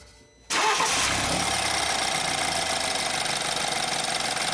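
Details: 2013 BMW X3 after crank-no-start diagnosis and repair: engine catches instantly on cranking and settles into a steady, even idle with no misses or knocks; fuel level sensor in tank still needs fixing.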